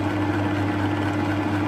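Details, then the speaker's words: Harrison 140 lathe with 3HP motor, new taperlock higher-speed pulley (750 to 1000 rpm spindle) and new A68 belts; running noise not horrendous, mainly gearbox and motor hum; clutch plate rattle disappears with clutch engaged; normal running. "right so the LA of the the noise of the LA is not horendous when it's running it's more gearbox and um motor noise"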